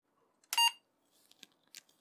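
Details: Apple //c with repaired Applied Engineering Z-RAM Ultra 2 card after replacing an open 1.5k resistor; one clean short high beep at power-on, then quiet handling clicks; boots normally, though RAM test later finds no RAM.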